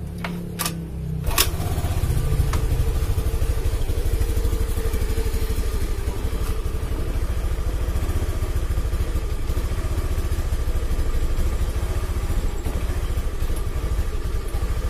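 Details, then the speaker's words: Honda Beat FI single-cylinder, fuel remaining, no MIL error code, battery weak. It starts, idles unevenly with a lumpy, hunting RPM, then dies abruptly when the throttle is opened. Weak fuel pump pressure was suspected. "Oke, jadi kondisi mesinnya itu nggak stabil kawan ya. Tuh, RPM naik turun stasioner atau langsamnya. Pada saat kita lakukan penarikan gas, tuh tiba-tiba mati toh."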